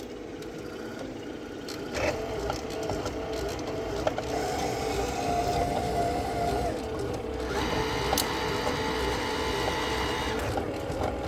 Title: Rotimatic NEXT making loud noise